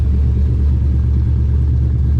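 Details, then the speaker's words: 240 after dyno, IAC wires swapped: deep, steady exhaust rumble at a smooth idle around 1050–1070 rpm with no hunting, though an odd noise is suspected to be belt slip or the IAC. "Hard to say, but idling freaking awesome now after I switched those two IAC wires. Idling like perfectly at like 1050, 1070."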